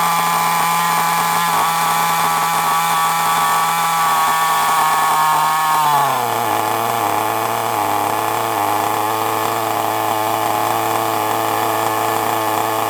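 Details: FTX Carnage nitro RC car just after start-up: high buzzing engine holds a steady pitch, then drops smoothly to a lower, even idle after the idle was lowered from too high; runs clean and healthy.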